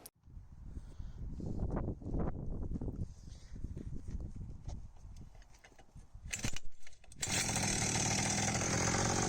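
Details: Hawkmoto 49cc two-stroke kids quad, first start attempt outside after fixing the chain and case: a few rough pulls and sputters, then it catches into a steady, high, buzzy run that holds even. It sounds healthy.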